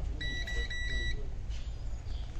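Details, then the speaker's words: Semitrailer ABS wheel-speed sensor, pushed back against the cleaned tone wheel after a leaking seal let grease and dirt widen the gap; multimeter continuity beep pulses as the wheel spins; normal sensor signal. "So now I'm gonna spin it, you will hear it. It means that our ABS sensor right now is properly working."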